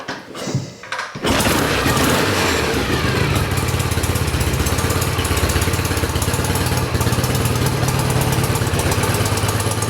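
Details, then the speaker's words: 1967 BSA A65 Thunderbolt twin, first start after a full engine rebuild, after clearing wet spark plugs: a couple of cranking turns, then it catches and settles into a steady, even idle on both cylinders. It runs fine and is starting to warm. "Được rồi, vậy là cô ấy chạy tốt. Động cơ vẫn ổn."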